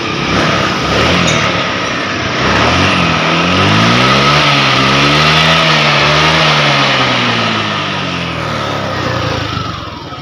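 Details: Honda Vario 125 FI scooter, previously badly misfiring with MIL on, after reset procedure clearing the MIL: engine revs up and down smoothly with no stumbling or misfire.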